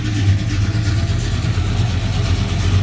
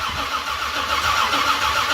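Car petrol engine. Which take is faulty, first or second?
second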